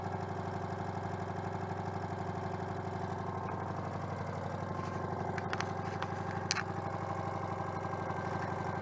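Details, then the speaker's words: Citroën 2CV AZLP6 flat-twin with new centrifugal clutch, open exhaust: chuffing about four beats per second, uneven lumpy rhythm; owner attributes rough idle to disconnected crankcase breather. "ah bah c'est pour ça aussi que ça tourne pas rond le renifle année par"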